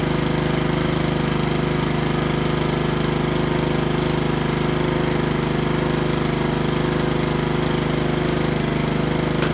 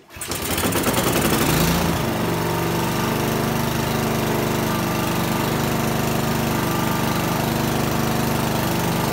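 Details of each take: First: Honda lawnmower single-cylinder engine after a tune-up including carburetor cleaned twice, running with an even, steady beat at constant pitch, no misses or surging; normal running. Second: Honda lawnmower during tune-up, after startup: uneven lumpy beat instead of steady drone; rough running, owner suspects old gas in the carburetor.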